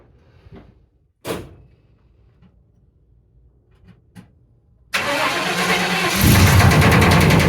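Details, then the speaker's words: 1994 Chevy Silverado cold start: cranks a few times, then runs rough with a heavy regular knock about three a second, worse than before, blowing dark grey smoke. Rod knock suspected, not confirmed. "oh no oh no very bad it's three times worse than the last time I heard it oh yeah not good at all"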